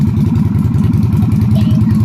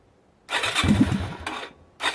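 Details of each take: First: Yamaha Virago XV250 (Route 66 edition) V-twin idling steadily and evenly with no knocks or misses, first run after fitting a new carburetor, no choke cable fitted; carburetor still needs tuning but it sounds good. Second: Yamaha Virago XV250 (Route 66 edition) V-twin with a new carburetor and no choke fitted stumbles and cuts out on the first try, then catches into a lumpy, uneven idle; hard starting without a choke.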